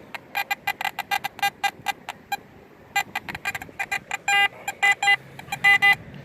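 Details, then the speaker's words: AT Max metal detector with a Sniper coil and sensitivity at 18 (max) chatters with irregular false beeps between targets; backing the sensitivity down about two bars is advised, though a shallow 73-74 target still reads solid. "18 max machine is really amped up sensitivity and probably back it down about two bars"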